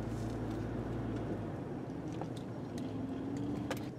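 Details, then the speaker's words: 2003 Chevrolet Trailblazer driven over the same rough pavement that reproduced the clunk, now with the front sway bar removed: only tire rumble and faint light ticks, no clunk over bumps, ruling out the sway bar links and bushings. "we went back to the spot where we knew we could duplicate the noise and the noise is gone"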